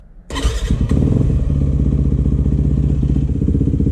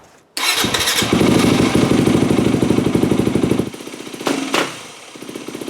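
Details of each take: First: 2008 Yamaha WR250F after carb rebuild, needle back in 6th position, warmed up: single-cylinder revs quickly and cleanly through repeated blips, no bog or stumble; normal crisp throttle response and power. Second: 2008 Yamaha WR250F after carb rebuild, 45 pilot jet, fuel screw about 1 turn out: starts and idles steadily, hanging idle fixed, but quick throttle blips swell then sag and recover slowly; off-idle bog.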